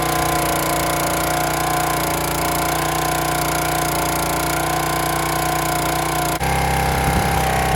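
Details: County Line 25-ton log splitter engine, first start after cleaning out rust and water, draining and refilling the fuel tank and priming the carburetor. Small single-cylinder runs steady and even with no misses or knocks; normal running.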